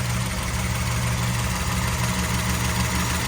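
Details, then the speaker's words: 1987 Firebird Formula, 350 with 383 stroker, rebuilt, 36 lb injectors, headers: loud rough idle with busy tapping clatter over the rumble; owner has no idea of the cause, motor to be pulled and rebuilt. "not a clue a lot of tapping over here"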